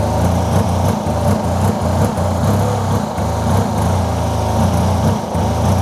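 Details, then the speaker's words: Fuel-injected Yamaha TMAX under restoration, long sat, ignition reinstalled: light, buzzy idle dropping beats and stumbling unevenly; not an ECU issue, owner suspects fuel-air mixture problem or air leak. "I know now that it's not an ECU issue but there seems to be some sort of fuel air mixture that's not right it's fuel injected"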